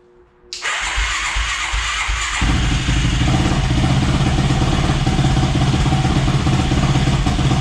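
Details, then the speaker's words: Yamaha YFZ450, first start after clearing a blocked fuel line with compressed air, on a battery charger: cranks briefly, catches and settles into a steady throbbing idle; running well but carburetor needs fine-tuning. "well you have it guys she's running good i gotta fine tune it i don't think the carburetor is 100 on this thing"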